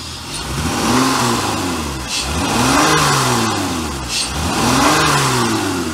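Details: Honda Pilot after repairs and injector cleaning: three clean rev-ups rising and falling smoothly with no stumble or misfire, though owner suspects two rear injectors still not working properly and the cat may be clogged.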